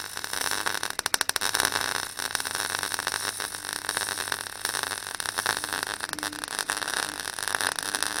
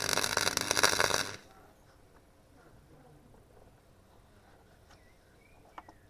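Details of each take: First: Clarke Pro 90 MIG welder, a beginner's first welds on sheet metal: a steady, even bacon-fry crackle for about nine seconds, then it stops. The puddle is easy to control, the sound is consistent and the weld comes through the back, a good sign. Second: Clarke Pro 90 MIG welder on thin 1.5 mm sheet at a high power setting: a brief harsh crackle that sputters unevenly instead of a steady bacon-fry sizzle. It penetrates through the back, but the sound is inconsistent, so power is lowered one step.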